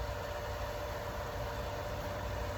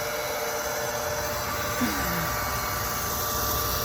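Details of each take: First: Pump filling a drained holding tank after being primed with water first, house line off: steady even motor hum with low drone and faint constant tone, holding prime, running consistently and normally. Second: Well pump refilling a drained, waterlogged holding tank after pressure switch refit with new Teflon tape: steady motor hum and water rush with no cut-off for a long time; owner waits for shutoff, watching for overheating, cause unknown.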